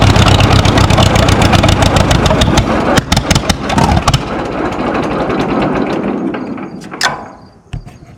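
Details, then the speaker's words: Minneapolis Moline Z tractor after rewiring and carburetor adjustment, out of gear, park brake set: uneven chuffing that sags, stumbles and dies; rough running and stalling, owner suspects fuel issue, maybe carburetor needle and seat. "Well, I think I got a fuel issue."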